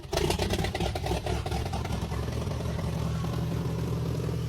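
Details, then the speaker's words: Old tracked machine being restored, engine started with carb dripping: catches with loud bursts, settles into low, lumpy, uneven beat; still running rough, quieter than the first time. "deal this one's still a little rough but let's see what happens well it turns that's a good sign"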